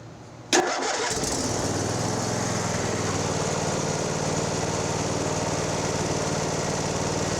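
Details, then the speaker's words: John Deere LA130 lawn tractor, unknown hours, old black oil and old spark plugs, owner reports hard cranking; start with choke and throttle, engine cool in 72°F shop: brief crank then catches at once and runs steadily, hard starting not evident. "We'll figure that out, but yeah, he says it's hard to crank."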